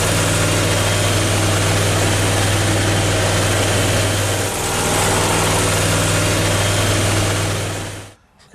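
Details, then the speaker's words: Briggs & Stratton Vanguard 37hp EFI V-twin on a mower, previously running bad with no power, after repair with fault light no longer on: steady, even drone with no misses before shutdown; normal running. "that sounds a lot better doesn't even sound like the same engine running"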